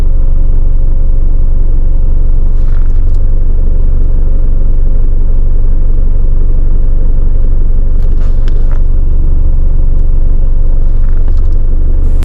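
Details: Isuzu D-Max iTEQ diesel at idle, clutch pedal released: coarse, rough rattling rumble that smooths when the clutch is pressed; worn clutch disc loose on its gearbox splines, clutch lining replaced.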